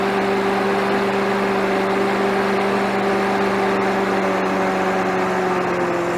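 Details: Victa mower with Briggs & Stratton 550EX series engine after replacing a badly blocked, dirty, oily air filter that caused surging: the engine now holds a steady, even hum with no rise and fall in speed.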